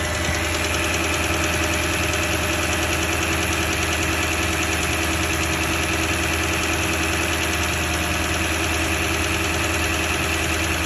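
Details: Toyota 1UR-FE V8 at steady idle with a fast, even tapping knock about three per second over the engine note; the knock gets more distinct as the oil thins and oil pressure is said to drop at 1/4. Source not pinned down.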